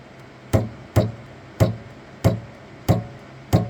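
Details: Saturn Ultra 4 16K resin printer: after starting a print the build platform rises and keeps rising, loud hollow knocks about every two-thirds of a second over quiet background; Z-axis knocking, cause unknown, printer eventually resets and begins printing.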